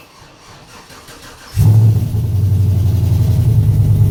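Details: 2007 Chevy Avalanche V8, first start after DOD/AFM delete, Texas Speed performance cam, rebuilt heads and headers, DOD disabled and timing retuned in HP Tuners; brief crank, header burn-off, slightly lumpy idle with hollow header note, no engine light; normal start and idle.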